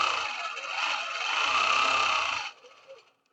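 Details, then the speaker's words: Longarm quilting machine after loosening the top thread tension: fast, even needle rattle of about four strokes a second, smooth and with no popping or skipped stitches. Normal stitching. "Oh, nice and smooth, and I don't hear any popping. No popping at all."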